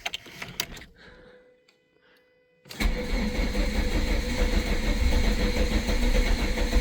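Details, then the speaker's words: VW Lupo 16v, low on fuel with a dying battery: a short spell of ticking and a pause, then a slow start into a rough, uneven idle. Long crank and hard start; low fuel and battery are suspected. "I think it might be low on fuel. Yeah, she's low on fuel, alright. And the battery's dying."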